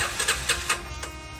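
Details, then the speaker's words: Yamaha Scorpio 225 motorcycle unused for about two weeks: a few quick starter cranking pulses, no firing, though neutral light, battery and fuel are fine; no spark suspected, so ignition is checked first. "Hai gaji pos mau coba dipakai ini gak mau nyala distant gak mau nyala di internet indihome"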